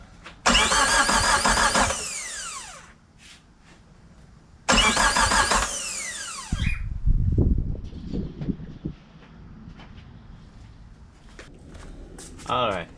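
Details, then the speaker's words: Suzuki Samurai with a 1.6 VW turbo diesel just after an oil change, injector pump not yet primed: two short bursts of even cranking without starting, deliberately turning it over to build oil pressure. "Oh okay we're gonna give it a few turns kind of bring some oil pressure up"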